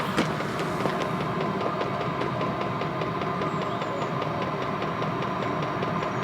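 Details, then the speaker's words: Chinese diesel van heater after glow plug replacement fixing E03 error: steady combustion roar with even rapid fuel pump ticking; smoke cleared, burning cleanly and heating. "but look the smoke has cleared yep no smoke and the heater is heating"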